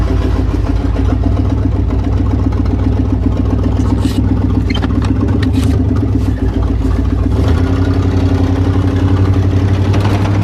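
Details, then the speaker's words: Silverado pickup driven with the muffler removed: a loud, deep, raw exhaust rumble rising as the throttle opens. The exhaust is running open. "see what she sounds like with no muffler"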